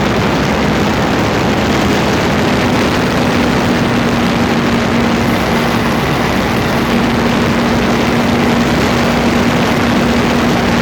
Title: Freelander 2 Grinding noise, phone is taped close to front differential